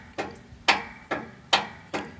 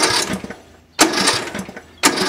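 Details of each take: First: Yardworks 42-inch 155 series riding mower, dead battery (7.47 V) boosted to 12 V: five sharp dry clicks from the starter solenoid near the battery, no cranking, starter not engaging. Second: Yardworks 42-inch 155 series riding mower, after new battery terminal connectors and ground: four separate cranks about a second apart, each turning the engine over cleanly; earlier click-no-crank was a bad connection.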